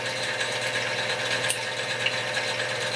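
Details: X2 mini-mill (CX605) gear train after repositioning the motor, redistributing grease and fitting O-ring rubber washers to damp vibration: even high-pitched whir with faint fine ticking, no harsh grind or clatter; smooth, quiet gear mesh.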